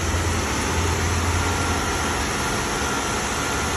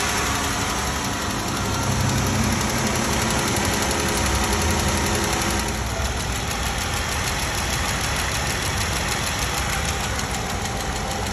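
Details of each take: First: 2016 Jeep Wrangler 3.6L V6 after repair of a collapsed rocker arm bearing that had scored the camshaft: smooth steady idle hum, the former ticking gone — normal idle, no valvetrain tick. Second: 2016 Jeep Wrangler 3.6 L V6 at idle with a sharp, steady tick; a single rocker arm with a collapsed roller bearing that also scored the camshaft, and the tick goes away after rocker arm replacement.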